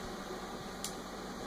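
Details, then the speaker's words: 1957-58 Cadillac Eldorado Brougham trunk lid power closing unit relay: one crisp, quick click as a momentary pulse energizes the opening circuit; relay pulls in cleanly, system working normally. "was the relay clicking now the system is operating the way it should"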